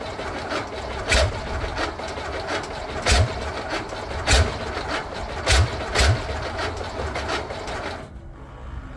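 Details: VW Beetle rat rod, first start after a long build: engine cranks with uneven coughs about once a second but never catches. It is not getting gas; owner wonders about the gas filter sitting on its side.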